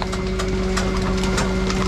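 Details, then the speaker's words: A 2015 Dennis Eagle Elite 6 refuse lorry collecting paper and plastic recycling runs its compactor: a steady hydraulic pump hum over engine idle with occasional knocks from the load as it compacts a high pile, cycling normally. "Right, well, let's do another compaction. Otherwise, it's just going to be too full when the other fella tries to dump his stuff in."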